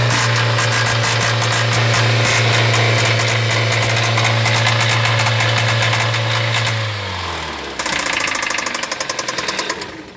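Steady idle with a sharp, regular knock about four per second riding over the motor until it shuts down; a deep knock, source unconfirmed.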